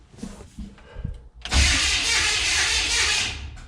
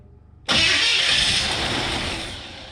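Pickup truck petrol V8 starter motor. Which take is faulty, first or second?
first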